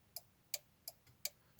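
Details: Audi A4 B5 early prefacelift turn signal relay and hazard switch, working again after cleaning fouled contacts; crisp, even clicks about three per second over a quiet background, flasher relay cycling normally.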